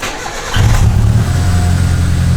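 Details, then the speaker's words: Old turbo Mitsubishi Lancer started after full build, checking for leaks: no exhaust leak now, but deep lumpy idle still misfiring badly before spark plugs are replaced with NGK BKR7Es. "Alright, doesn't sound like there's an exhaust leak anymore. Hell yeah! But it's still misfiring pretty bad."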